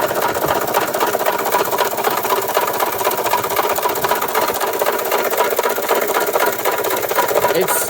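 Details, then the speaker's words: 1993 Toyota Tercel, first start after repairs and with oil previously overfilled, jumped from an F-150; heavy steady knock about four a second over rough idle, won't accelerate; rod knock suspected, not confirmed. "yeah something is definitely wrong there that's a lot of knocking and uh it won't accelerate at all and uh that's a whole lot of knocking it sounds like a rod knock honestly"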